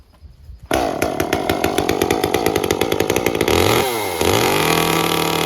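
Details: Echo CS-355 chainsaw after cleaning clogged screens, with the limiter cap removed and the carb leaned, perhaps half a turn. Fires up and holds a clean, crisp high rev with no four-stroking burble, then eases off smoothly; mixture now set right.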